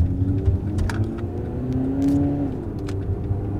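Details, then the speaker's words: 2009 Chevrolet Cobalt after replacing both wheel bearing hub assemblies: pulling away with clean rising exhaust note and low rumble, no wheel growl or hum; normal wheel bearings. "at peie and quiet that's what I hear that's incredible like this is what it's actually like to have a quiet car"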